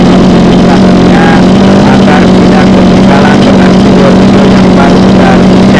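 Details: Mini water pump with small two-stroke petrol engine on mixed fuel, after fixing hard starting and runaway revs from fuel starvation: steady, even buzz at constant speed with no misses or knocks; normal running.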